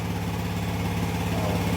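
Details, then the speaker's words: Yamaha NMAX V1 scooter after the clogged-injector no-start was fixed and wiring redone: starts and idles with a quick, even putter and a steady pulse, no misses or rattles; a clean idle. "Yan start natin mga boss. Okay. Ayan goods na."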